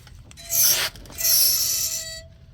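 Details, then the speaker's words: Front wheel of a car with front-end noise, turned by hand: two bursts of thin, high metallic scraping. The pads are worn low, and the wear indicator is suspected; a wheel bearing is still possible, so the pads are being replaced first. "But I'm thinking that's the indicator that's making all that noise cuz you see it still got a little meat on this side."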